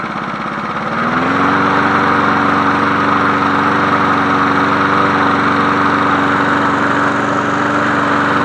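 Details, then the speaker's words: 1981 John Deere NO20K push mower with original Champion spark plug, cleaned and re-oiled, started tilted up: revs up, then holds a smooth, even drone with no misses or knocks; healthy normal running. "Man, that thing sounds good for a 1981. It sounds better to me, and I was born in 1985."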